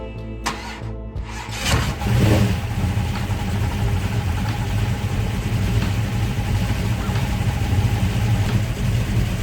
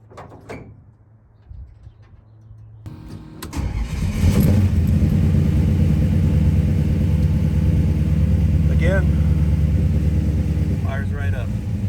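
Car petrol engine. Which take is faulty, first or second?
first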